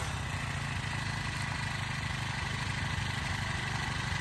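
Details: Honda FG100 tiller single-cylinder engine after carburetor work, started without choke, warming up: steady, even idle with no hunting or surging; normal idle.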